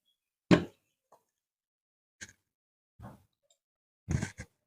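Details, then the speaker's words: Gas stove burner: dull "blop" pops as flame is shut off (also on ignition), sign of a corroded, damaged burner that should be replaced before it breaks. "ketika dimatikan juga keluar bunyi blop ya Jadi tanda-tanda berner yang sudah tidak normal artiya sudah rusak ya itu ketika dinyalakan atau dimatikan keluar bunyi blup seperti itu"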